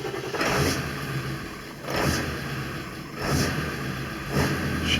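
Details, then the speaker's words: 2000 Ford F-350 crew cab dually, 7.3 Power Stroke diesel, on the high idle setting (stock setting starts and dies): idle rises and falls about every 1.5 seconds, hunting for 1200 rpm; suspected faulty IPR valve in high pressure oil pump. "searching for that 1200 idle"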